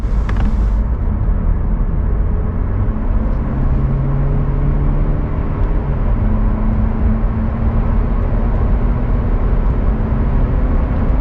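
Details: Car rear wheel after the noisy bearing was replaced with a new one, driving: smooth steady road rumble with no growl or hum rising with speed; the new rear wheel bearing runs quietly.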